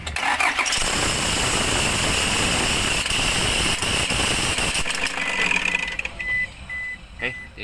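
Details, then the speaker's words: Toyota HiAce 2KD diesel with weak charging: engine starts and runs with a loud, harsh rattling grind, then a steady dash chime; about 12 V when noisy versus 13 V when quiet, suspected failing alternator clutch pulley. "Kasi sabi ni sir kapag wala yung ingay okay ang charging pagka maingay hindi okay o So ibig sabihin ah possible clutch pulley"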